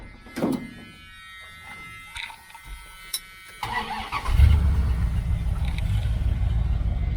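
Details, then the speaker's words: 1978 Dodge Aspen R/T V8 just fitted with a new exhaust system and crossover: catches after a short crank and settles into a deep, steady rumble with no ticking or leaks; normal idle, likened to a Chevelle. "It kind of sounds like my Chevelle. Though the Chevelle, I think I got like 2-chamber mufflers on there. Sounds really good."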